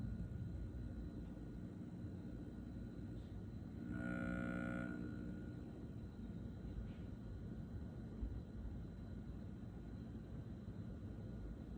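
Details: Brand-new GoldenMate Back-UPS 2000VA/1600W LiFePO4 battery backup: a constant low transformer-like electrical hum with a thin high whine, not a fan, swelling into a much louder buzzing pulse about every eight seconds.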